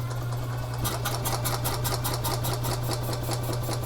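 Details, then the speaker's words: 2011 EZ-GO TXT gas golf cart, brought in as a crank-no-start, covered in ice after freezing rain: fuel line clean with no debris, cranking with quick even chugging at about five beats a second just before it fires. Normal cranking. "see if this cart should fire right up and there's no debris coming out of the fuel line so I know the fuel line's still good"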